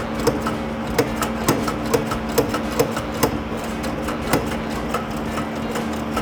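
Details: 1963 Corvette Split Window V8, cranked fed from a fuel bottle: slow, uneven starter chugging about two beats a second, never firing. Cranks but won't start; accelerator pump suspected dried up, carburetor squirters not spraying.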